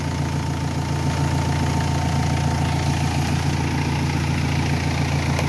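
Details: Renault Espace III 2.2L idling during an alternator test, about 14 volts measured at the alternator: steady, even idle with a smooth low hum, no knocks or misses. Engine and charging sound healthy, alternator good.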